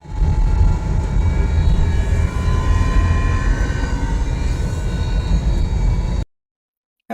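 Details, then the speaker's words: 2010 Subaru WRX five-speed manual while driving: faint high whine over heavy road rumble from a worn center differential, which is being replaced. "everyone Chris here and today I'm going to be working on 2010 Subaru RX with transmission whining noise it is five speed manual transmission and I'm going to replace the center differential"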